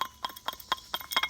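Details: Cub Cadet RZT 50 mower spindle removed from the deck: light irregular metallic clicks as it is turned by hand; worn spindle bearing rattle.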